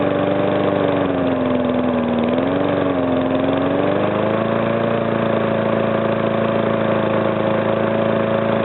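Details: Briggs & Stratton single-cylinder engine, first start after rebuild: speed wavers briefly, then a steady even buzz at idle with no knock; the earlier knock came from compression leaking past the piston, fixed by rearranging the rings and cleaning.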